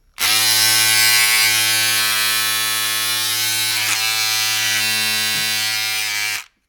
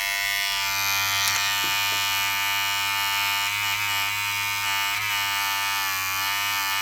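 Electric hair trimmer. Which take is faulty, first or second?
first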